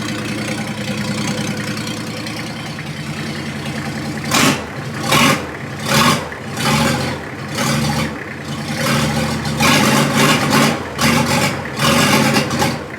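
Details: Diesel in a 1954 Ford F600 on a 1995 Toyota Coaster bus chassis, started with no exhaust: loud open clatter surging unevenly about once a second as fuel comes through, then it keeps running.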